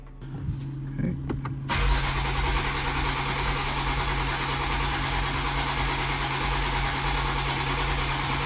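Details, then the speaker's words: MKV Supra 6-cylinder first startup after engine install: steady starter whirring and even cranking that never fires; compression checked fine on all six cylinders. Crank no start from no fuel pressure. "First, it started out with a crank no start. Damone ended up pulling the spark plugs just to check the compression."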